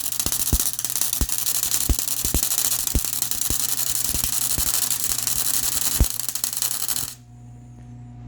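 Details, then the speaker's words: MIG welding motor mount for Honda Odyssey FL350 electric conversion, gas set around 50: irregular crackling with sharp pops every half second instead of smooth sizzle, then arc stops; wire feed too fast, later turned down to 5.5. "Do I need to crank the filler or the gas up? Actually, it feels like the wire's too fast."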